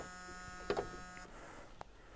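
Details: Chevrolet C10 Silverado parked 23 years, no keys, ignition worked by screwdriver: on connecting the battery power cable, steady mid-pitched electrical buzz with faint hum cutting out after about a second; source unknown.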